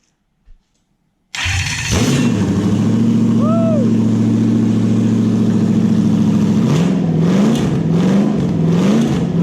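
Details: Toyota 1UZ-FE V8 run on a new wiring loom for a Massey Ferguson tractor swap, played over the phone; catches straight away, settles to an even idle, then clean rising revs with no misfire or knock; healthy start and rev.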